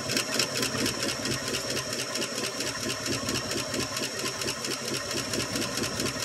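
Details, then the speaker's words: 1965 Ford Fairlane 500, 289 V8, unstarted for 2.5–3 years, cold start running on fuel poured into the carb bowl with no tank. Fast, light tapping at about two per second over the idle: lifters clattering until oil pressure comes up. "it hasn't ran for 2 and 1 half 3 years you tell by all the lifter noise until it got the oil press it actually runs quite a while on just filling the bowl up"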